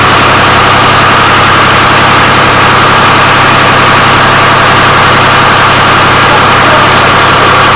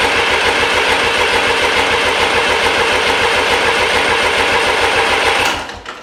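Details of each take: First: Restored 1993 Lombardini diesel generator engine, first run, on an old weak battery: steady, even diesel clatter at idle, no knocks, misses or surging; oil pressure light went out instantly. Normal idle. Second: Restored 1993 Lombardini diesel generator engine: steady fast cranking that never catches while injectors are bled, no fuel reaching the injectors. Crank no start, no fuel at injectors.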